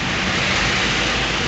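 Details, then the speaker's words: Mercedes Smart after cooling fan replaced for noise when AC switched on, AC gas recharged: steady even rush of air, no rattle or squeal; AC and cooling fan running normally. "le cambiamos el el electroventilador ahí están dando Electro no se escucha ni un ruido ni nada"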